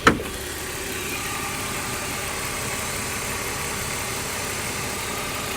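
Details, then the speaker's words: 1993 BMW E36 M3 abandoned car revived, a while after an earlier ticking, misfiring run: even steady idle with no ticking or stumbles; smooth and healthy once warm. "So, a little while after that clip was recorded, the car kind of pretty much stopped ticking and running perfectly smooth."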